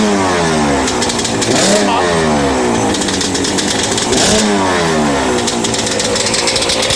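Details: Yamaha Banshee 350, sat about 5 years, after TORS delete, carb clean and rebuild, new throttle cable: crisp ringing two-stroke buzz rising and falling smoothly with each throttle blip; runs clean and responds well.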